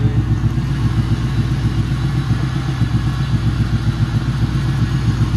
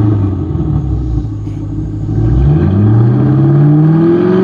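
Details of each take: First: 1995 Ford Thunderbird LX with sudden power loss, some cylinders not firing, water found in spark plug holes: loud idle with uneven lumpy beat and clattery stumble about every quarter second; misfire at idle. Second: 1995 Ford Thunderbird LX after repair of a sudden power-loss misfire, warming toward operating temperature: revs smoothly from a low rumble to a higher, even drone with no misfire, only one slight usual hiccup. Normal warm-up running.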